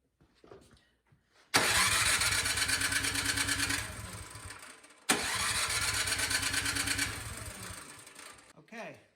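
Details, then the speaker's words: Craftsman snow blower, recoil start, starting fluid sprayed into the carburetor with the cover removed: two pulls spin it over with quick puffing compression strokes but it never fires and coasts to a stop; crank no start caused by a fouled spark plug. "so that gives me some indication that something else is going on other than the carburetor because spraying styrofoam fluid in there that's a sucking starting fluid right to the top of the head and that should fire"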